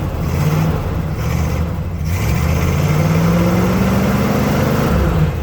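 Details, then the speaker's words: 1976 Suburban, first start after about 25 years sitting: old V8 runs and revs unevenly, stumbling off throttle, no smoke; carburetor needs work, hard starting. "The carburetor needs a little help, but yeah, I got it. No smoke."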